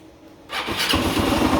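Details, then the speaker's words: 12-year-old Yamaha fuel-injected scooter (2nd-gen Cygnus X) starting up: quiet then a loud, harsh rattly idle seemingly from the rear, very strange; cause unknown, drivetrain to be removed first to isolate. "哦，声音就变这样。非常的大声，真正在听个听后边，足奇怪哦。"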